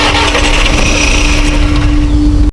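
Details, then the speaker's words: Volkswagen Vento, crank no start; fuses fine, fuel line hose pulled and pressure checked into a bottle: starter whirs steadily with a few brief catches before stopping; cranks but won't start. "nagkaroon siya ng response sa pag-andar kaya Sinubukan kong ibalik na yung hose ng fuel line para Subukan natin paandarin ulit"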